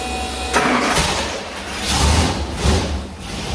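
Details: Gen 2 LT1 350 small-block Chevy run on carburetor on dyno, sat nearly 20 years, first start, timing roughly set: cranks, catches, surges a few times, then settles into rough but sustained run.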